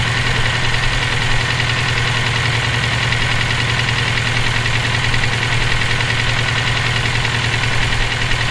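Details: EJ257 engine knocking at idle for about 17k miles since purchase; loose, repetitive tapping knock, about ninety a minute, over the rumble. Owner suspects rod knock, spun bearing or valve lash needing adjustment; unconfirmed.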